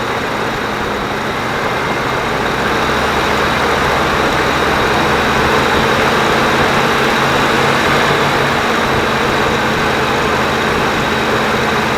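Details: 1994 Dodge Dakota after intake cleaner treatment for rough revving; steady, even idle with a constant low rumble and no stumbling or misfire, running smoothly.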